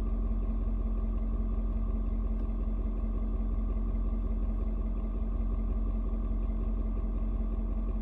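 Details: Ford Super Duty 6.7 diesel, cold start at 56°F: smooth, even low-rumble idle with no knocks or misses, settling as the engine adjusts fuel mix to outside temperature and mellows out; normal cold idle.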